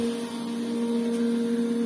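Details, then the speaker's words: Sand filter pool pump after air was bled out through backwash and drain: smooth constant hum, steady pitch, no surging or gurgling; pressure no longer jumping, running normally. "если насос уже сильно не будет давление уже не скачет"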